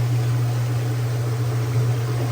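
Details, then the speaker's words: Direct-drive Kenmore 600 washer (110.29622801) after replacing slipping clutch and center seals: spin after draining gives steady, unbroken low hum with no slipping surges; new clutch doing its job. "Lookie there. New clutch doing its job."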